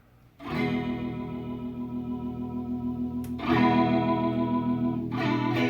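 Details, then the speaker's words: Vintage Boss CE-1 Chorus Ensemble pedal, repaired because its chorus lacked depth, in vibrato mode: guitar chords carry a steady, even pitch wobble with no crackle or dropouts, and the vibrato works properly. "the chorus part is working and so is the vibrato that was never a problem"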